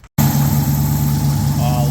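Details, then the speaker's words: Mopar engine idling after replacing a noisy belt idler pulley found with mechanic's stethoscope, intake tube refitted: steady smooth idle, even low hum, no squeal or chirp from belt pulleys; noise gone, repair fixed it. "you hear it anymore cuz I don't I do not hear it anymore wow"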